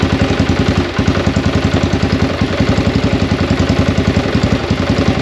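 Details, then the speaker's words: 2021 XPro X22 125cc single-cylinder motorcycle, just after a new carburetor was installed. It putters at a steady idle of about three and a half beats a second, slightly uneven but holding without stalling. "I'm gonna start it up and see if we can get some fuel going through the engine, and see if we installed this carburetor successfully."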